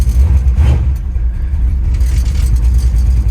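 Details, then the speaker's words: Small-block V8 S-10 street truck with Holley carburetor, in gear idling about 850–900 rpm: sags and nearly dies the instant the throttle opens, then recovers rich without black smoke; off-idle stumble on tip-in. "you can hear it die immediately and then when it comes back it comes back rich hear that there's an immediate dead spot as soon as you touch the accelerator"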